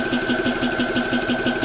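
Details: GX CS3 4500 psi high-pressure compressor, owned since November 2020 with many hours, filling a PCP air rifle: fast, even piston chuff with a steady high tone and no knocking as pressure builds; normal operation.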